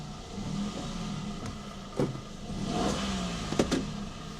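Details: Toyota Aygo MMT automated gearbox after a botched clutch and gear selector relearn (ignition cycle step missed), reverse selected: small petrol engine revs up and drops back freely with a couple of clunks, but no gear takes drive.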